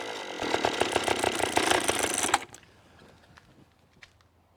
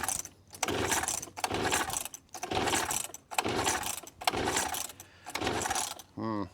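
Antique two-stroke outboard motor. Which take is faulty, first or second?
second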